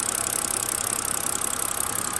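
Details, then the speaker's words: BMW E93 engine after new spark plugs and coils, which ran terribly on first start: a quiet idle with a fast, light, air-like ticking on top, which the owner suspects is valve train noise or injectors firing; cause unconfirmed. "it still has a little ticking sound I don't know if you can hear that not really a tick but a almost like an air"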